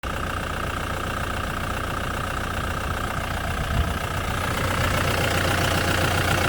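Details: Ford Mondeo 3 engine knocking at idle: a quick, steady top-end tap of roughly 220 a minute. The owner feared the worst but thinks a valve probably failed; the supply tube was plugged.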